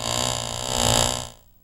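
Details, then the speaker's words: Exaggerated-angle driveline model with constant-speed electric motor, card held to second-shaft sprocket: buzz rises and falls in pitch twice per turn, shaft speed varies because yokes are 90° out of phase, causing vibration at high rpm. "this as you can tell from the sound the shaft speeds up and slows down twice now let's listen to the sprocket of the third shaft the speed of the third shaft varies even more than the second this is an outof phase condition"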